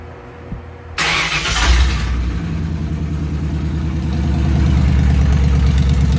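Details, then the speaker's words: 1938 Ford, in neutral with rear wheels raised: catches and settles into lumpy, uneven low beat with shake; misfire improving, cylinders two and three not firing, four working. "pretty good it feels like it's coming around it's still got a miss it's getting better though it's a lot better still got a little bit of a shake"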